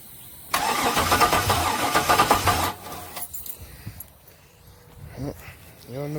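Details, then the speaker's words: Chevy box with LS swap, no spark, fuel pump newly wired: a couple of seconds of steady starter cranking at about four turns per second, with no catch; crank-no-start. "Another day of nothing but cranking and no starting."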